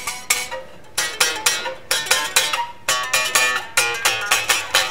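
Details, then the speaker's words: Bass guitar with flat neck, no relief, and action far too low with a damaged truss rod adjustment: plucked notes carry a bright sizzling fret buzz; fix is adding neck relief and raising the saddles. "So what I need to do is put some relief on this neck. It is buzzing. Hear it?"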